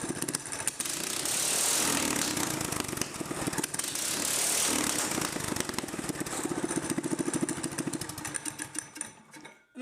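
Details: Mini-bike small single-cylinder engine on the stock carb with a custom open exhaust, after the overfilled crankcase was drained and given fresh oil: loud, rough-edged, revving hard and pulling cleanly with no knocks or misses; normal running.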